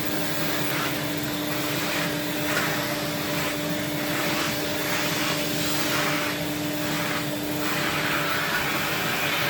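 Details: 1979 Electrolux Z96 cylinder vacuum, floor head on carpet: steady motor hum with slow pulsing rush about every second, pitch dipping as head drags; motor straining, owner suspects it needs suction control/air release.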